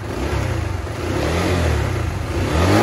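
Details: Flood-damaged Honda Winner 150 after engine rebuild: revving climbs smoothly from a low burble to a firmer, higher note with no knocks or misses, pulling slightly lightly after the restoration. Healthy after repair.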